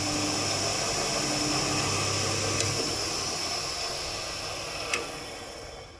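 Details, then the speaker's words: Cement mixer single-phase motor marked 1976, running unloaded during belt-replacement work: an even, steady whir with no knocks or grinding, then a smooth wind-down. Runs smoothly enough; normal. "it runs smoothly enough"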